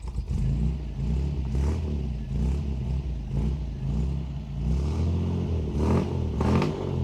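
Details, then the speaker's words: 1954 Chevrolet Bel Air, original engine with 1-barrel carburetor and 3-speed column shift: a deep, even burble from the dual exhaust with smooth revs and no misses or knocks; it sounds and runs very nicely. Normal exhaust note. "sounds very, very nice. It runs very nice too."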